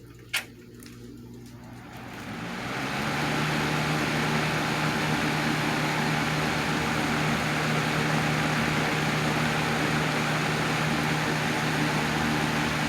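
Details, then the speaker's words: 1987 Patton CA-1284 12" rotary box fan after worn bearing sleeve repair, front guard on: spins up to smooth, even hum, no rattle, noise or vibration; fixed. "awesome no noise or no vibration at all no noise"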